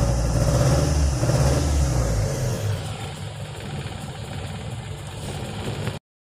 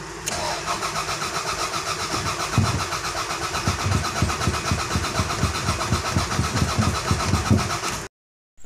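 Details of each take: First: Toyota Corona that would not start despite good fuel pressure, now with a borrowed ECU fitted, confirming the original computer box is faulty: engine picks up strongly and settles to a smooth, even idle with no misfire; running properly. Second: Toyota Corona, crank no start: the starter churns the engine at a steady even beat for about eight seconds without catching. There is no spark; fuel reaches the rail, so the fuel pump is fine, and a faulty ECU was found after trying a borrowed distributor.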